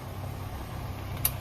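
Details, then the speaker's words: 2023 Land Rover Defender moving off slowly with the steering turned: low drive rumble, then a sharp metallic click from the front axle area. The owner attributes it to the half-shaft nut, a common fault fixed by replacing the nut; not confirmed. "轴承还有半轴的螺帽响，正常是半轴螺帽，哎，又响了，你看，慢一点点，哎，又响了。"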